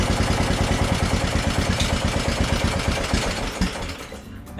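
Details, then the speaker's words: Craftsman DLT3000 lawn tractor with a hard-start problem, jumper battery connected directly to the starter, battery around 12.38 V: a brief crank, then the single-cylinder engine fires right up into an uneven chug before stopping. "was interesting when I connected directly to the starter it fired right up"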